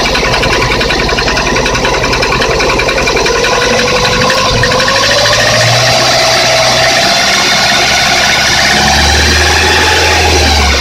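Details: Lada 21126 engine, 15,000 km, cold idle: sharp, fairly regular knock three to four times a second; stethoscope locates knock at cylinder 1 at TDC on piston reversal, pistons believed sagged; piston slap.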